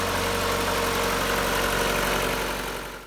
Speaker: Yeah, Wow, does that thing sound good? I guess I should have checked the oil. Boy, does that sound nice.